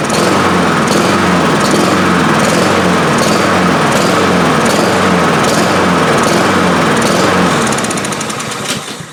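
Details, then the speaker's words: Honda HRR2156 push mower that runs and dies even after a new carburetor last year; engine pulses roughly three times a second instead of holding a smooth governed note, running lean from an intake air leak. "Alright y'all, we got an intake leak on this thing. That's why she's not running right."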